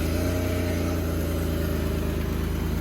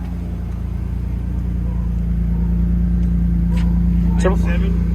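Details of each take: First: Warm petrol engine, about 79 degrees, idling with a low, uneven throb. Running rough and lean from a vacuum leak with the bolt pulled from the PCV valve. Temperature climbed five degrees in about 30 seconds. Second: Petrol engine idling with a steady even hum once the bolt is put back in the PCV valve. Pulling the bolt out caused a vacuum leak that made it run lean, sound rough and climb about five degrees in 30 seconds.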